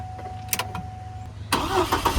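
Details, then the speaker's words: Auction Hummer H3, new battery, fuel just added and gauge reading gas: starter grinds, engine briefly catches and stumbles without settling to idle; owners suspect fuel not reaching the engine, sucking air somewhere. ">> It ain't pushing enough gas to the gas pedal. >> It's sucking air somewhere."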